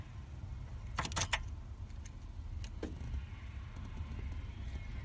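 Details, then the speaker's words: Barn-find Volvo 480ES after fitting a replacement ECU from Europe, fuel pump disconnected: a quick cluster of sharp clicks at key-on, then one more a moment later; the fuel relay coming on and ABS switching off, normal, with ignition lights on. "what we should hear is when I put the key in we should hear the fuel rate relay come on and we should get ignition lights and that sounds exactly what I was hoping for"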